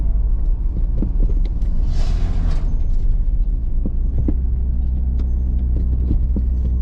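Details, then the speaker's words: Abandoned 1985 Dodge Daytona, sat for years, now driving: deep rhythmic thumping under road rumble keeping pace with the wheels; owner suspects flat spots in the tires, not confirmed. "yeah i think i got some flat spots in the tires you can hear back"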